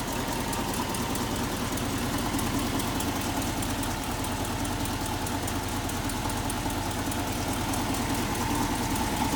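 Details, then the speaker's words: 1968 Ford F250 Camper Special Ranger, 360 V8 with C6 three-speed and Dana 60 rear (3.73 gears), under-hood idle after dash check: steady, even lope with no knocks, ticks or misses; runs well. Exhaust leak on passenger side noted separately. "So there's 360. Again, runs real well."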